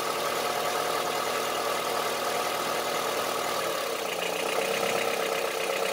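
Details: Honda CR-V III 2.4 engine at idle with a steady hard, diesel-like clatter about four times a second; engine knock at idle, source not pinned down.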